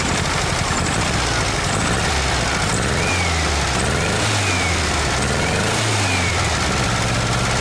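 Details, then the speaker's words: VW Super Beetle Volksrod, first cold start after rewiring, with priming fuel in the carburetor: stumbling uneven exhaust beat with dropped pulses, misfire not on all cylinders; ignition or one side of the carburetor suspected. "definitely not running right on all cylinders not sure yet if it's ignition or if it's one side of the carburetor not doing what it's supposed to do so we definitely got a misfire"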